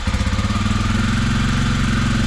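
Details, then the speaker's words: 2021 Kawasaki KLX 300R, fuel-injected single, cold, after the no-start was fixed with a replacement ignition part: quick, even thumping idle with no misses or knocks, settling smoothly. "and apparently that was the problem maybe yeah it's probably just cold"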